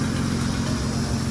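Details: 2006 Acura TL Type-S 3.5 V6 after timing belt and tensioner work fixed a lifter-like tapping noise from the tensioner: smooth, even idle with a steady low hum and no ticking or knocking; runs quietly.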